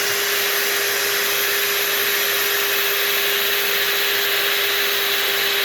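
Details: La-Z-Boy SlumberAir air mattress inflation pump after fixing the faulty latch by slipping a metal piece behind the catch; constant high motor whine with steady tone, no rattle, bed filling and the pump staying attached.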